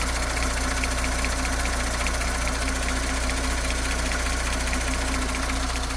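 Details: 2019 Audi S5 idling 3,000 km after an engine replacement: the usual high-pressure fuel pump clatter plus a new light, regular tick at the front of the engine, cause unknown.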